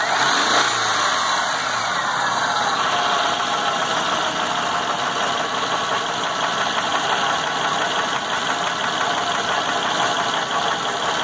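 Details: 2004 Subaru Legacy 35th Anniversary sedan, after its timing belt jumped 3-4 teeth and the belt and pulleys were replaced: fast uneven top-end ticking at idle. Drives fine; owner wonders whether a valve was damaged.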